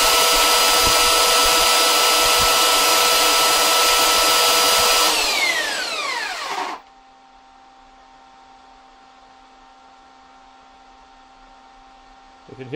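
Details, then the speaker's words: 12 V 3000 W power inverter with a 500 W light and 2,200 W charger, warming up: small cooling fan gives a steady loud airy whoosh for several seconds, then spins down and stops; normal cooling. "the fan running there now that's everything running light a 500 wat light and a 2,200 watt Cher"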